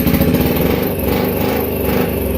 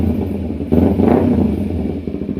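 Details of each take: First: 2010 Kawasaki Ninja 250R twin, flood-damaged, carbs cleaned and oil changed: ragged, loping, missing idle as right cylinder fires but left gets no spark; coils get 12 volts, owner suspects the non-working tachometer circuit stops the left pulse. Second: 2010 Kawasaki Ninja 250R twin after no-spark repair and flood-damage restoration, new filters: crisp idle picks up cleanly into a quick rev to the limiter and drops back smoothly, no misses or rattles, healthy.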